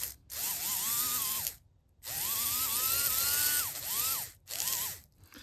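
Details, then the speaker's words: HO scale brass Union Pacific FEF-3 4-8-4 #840 model locomotive held by hand on plastic: electric motor whines, surging and sagging, cutting out between bursts as if binding or losing contact; owner thinks it needs cleaning, especially the wheels. "it's like it wants to run but it's like"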